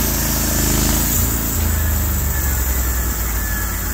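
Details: Norwood HD36v2 sawmill testing new roller guides (ceramics replaced) on a wide black oak log cut through the bark: a deep, steady drone that holds speed under the cut with no surging or knocking. The motor loads normally; normal cutting under load.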